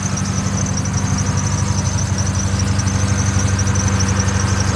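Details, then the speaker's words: Neglected 2002 Lexus SC430 at idle, hood open: thin high-pitched chirp over idle with visible engine shake; slipping accessory belt squeal, engine also misfiring, radiator leaking. "again open the noise there squeaking belts misfiring and something's going on with the"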